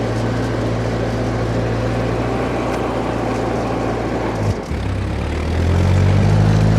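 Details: Old Ford 8N tractor (circa 1948–52), being driven, previously hard to start: even, steady low thrum, no popping or misses, briefly dipping then pulling stronger as load comes on; runs clean.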